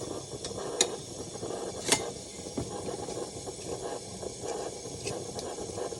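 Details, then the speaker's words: Vintage Coleman pressure burner, apparently the 1952 252 military-spec being repaired (the 1950 242C is also restored): a soft, steady hiss with light handling clicks. It holds pressure and works; in pretty good shape. "Listen to that sucker. That works. That's actually in pretty good shape."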